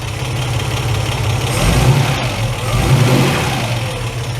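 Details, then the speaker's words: Ford Capri Mk1 3.0 GXL Essex V6, manual, sat 8 years, first run with fresh fuel and oil, cold and just off choke: idling with slight uneven stumbles and small speed dips, mild splutter; might improve when warm. "a slight splutter there it might come around as it warms up that's it now I'm not going to disturb her we're going to let her come up to temperature"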